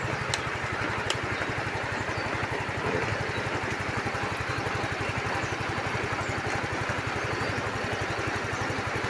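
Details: Yamaha Mio i scooter that previously would not start with a blown fuse, after repair: steady, even single-cylinder putter at idle with no misses, knocks or rattles. Normal idle.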